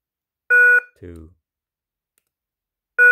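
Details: KERUI wireless alarm base unit, alarm off, unplugged and replugged five times to pair motion and door/window sensors: one short, clean mid-pitched beep at each power-up, about every 2.5 seconds, entering sensor pairing mode.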